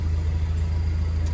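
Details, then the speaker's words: Pontiac Solstice GXP SCCA T2 Championship Edition that would not crank, now running for the first time after blown fuses traced to the BCM; gauges dead: steady even low rumble, smooth idle pulse, no knocks or misses; normal idle. "none of the gauges are working at all they're not even showing a rpm so at least it's running"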